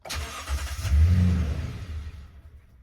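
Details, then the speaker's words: 2011 Toyota Tundra 4.6L V8 after sitting two weeks: starter cranks, engine catches briefly then stalls, can't hold idle; runs with foot on gas, no check-engine lights, good battery. "but when I start it it just dies right away it can't maintain idle I got good battery no check engine lights and watch this start it and then it just loses idle and"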